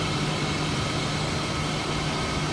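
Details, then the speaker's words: BMW E36 idling after the broken vacuum line to the fuel pressure regulator and the fuel hose were replaced; an even, steady idle hum with no misses, hunting or ticking, and no petrol smell. Engine sounds healthy after the repair. "After about 4 hours of hard work, we replaced the broken vacuum line and also the fuel hose. Sounds good. No petrol smell. Not burning off, which is good."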